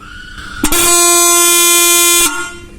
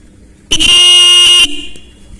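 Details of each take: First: Bike horn after the free louder-horn modification, with its diaphragm nut fully tightened so it won't rattle: a loud, steady, bright blast of about a second and a half with a clean, even tone, sounding properly. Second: Bike horn bench-tested straight across its two terminals gives a steady loud buzzy blast of about a second that sounds thick and deep; the adjusting screw will be tightened to thin the tone.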